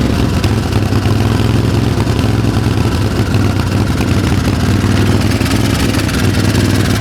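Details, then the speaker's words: Craftsman 20 HP twin lawn tractor, sold as having new parts, with no power and stalling under load, starts and runs with an uneven stumbling beat and clatter; a misfire, owner suspects spark or compression problem or loose valves. "Oh, now it'll start. It sure sounds like we got a miss in one of the cylinders here."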